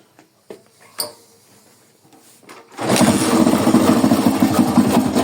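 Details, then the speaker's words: Small carbureted motorcycle (Titan 99 tagged) engine with strange noise: handling clicks, then start and rough rattly rumble; mechanic plans to check the flywheel/stator side, suspects crankshaft bearing failed. "esse lado aqui tem alguma coisa Solta aí o rolamento do virabrequ pifado"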